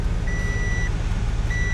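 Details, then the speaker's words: 1994-98 Ford Mustang that cranked but stalled, now running after broken vacuum lines were fixed and the blown intake replaced: low, even idle rumble, no hunting or misses, under an intermittent chime; smooth idle, not yet tested in gear. "i mean it's smooth at idle but i haven't tried it out in gear or anything"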